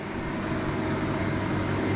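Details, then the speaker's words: Victron Phoenix inverter feeding a Multiplus in series, loud steady electrical hum with mechanical drone, still humming after hot water system turned off; drops out since portable air conditioner added, owner suspects too much inductive compressor load. "okay I'm turning off the hot water system okay kicks in again not I can still hear it humming"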